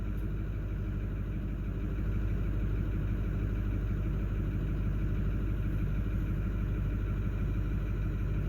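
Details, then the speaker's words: Ford 6.4 Power Stroke V8 diesel after number three injector replacement: lumpy, uneven idle chug about three beats a second; cylinder three adding 19 points of fuel, still running rough, no fault codes. "when it's adding 19 points of fuel the number three and it's still not running right that's not uh that's not a good sign"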